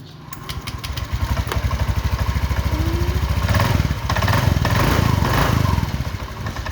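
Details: Honda Click 125i idling after the stripped exhaust stud thread was re-tapped (M7x1.0) and the exhaust pipe refitted: even steady putter about three and a half beats a second, no puffing or ticking from the exhaust joint, healthy running.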